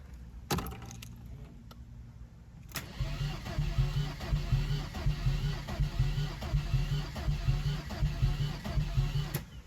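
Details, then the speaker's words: Ford Escort Ghia Cabriolet, reported no spark, on a fresh battery: starter cranks at an uneven, lumpy rhythm for several seconds and never fires; no fuel pump priming heard while the immobiliser light is checked; crank no start. "When it cranks, I can't hear the fuel pump priming."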